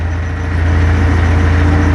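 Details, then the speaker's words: Ford 1940 with Opala gearbox: loud, steady low drone with faint rapid flutter when the clutch is released; the noise stops when the pedal is pressed. Gearbox noise, cause unknown. "pisar de novo acabou o barulho até o forno vou soltando devagarinho devagarinho devagarinho em cima de novo aí entendeu é esse o barulho"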